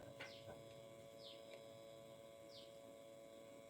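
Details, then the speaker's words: Quiet steady humming from the speaker of an FT003 decoder/amplifier with an FTD01 LED display panel, heard on the front-left output when powered on; the hum stops when the display panel is removed. "ஒரு coming nice வருதா ன்னு ஒரு sound வருதா இப்ப அந்த sound நான் eddy எடுக்கறேன் பாருங்க அந்த சவுண்ட் நிக்கும் பாருங்க"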